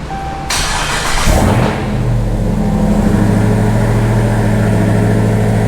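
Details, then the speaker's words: Dodge Ram 1500 regular cab, 5.7 Hemi swapped to a Hellcat 6.2L supercharged V8 with Holley Delta Force intake and velocity stack: sharp crank, then a loud, steady lumpy idle with prominent blower noise; normal start and idle. "so loud see oh yeah let me put that over there so you guys can hear it the blower is way louder out of that"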